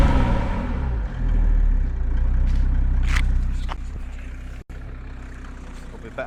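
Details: Diesel engine bought in a car for a Land Rover build, with dealer-serviced oil changes, heard at idle with the microphone near the exhaust: a low, even idle with a steady beat about four per second and no rattle. Sounds fine; a slight rasp when cold.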